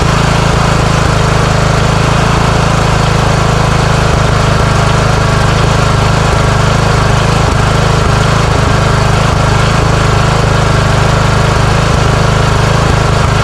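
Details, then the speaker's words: Craftsman riding mower with a single-cylinder engine, surging and backfiring after gas was left in it over winter. Even on fresh fuel from an external tank it runs loud and uneven with sharp pops every few seconds, so the carburetor is replaced. "Okay. So, it's still backfiring."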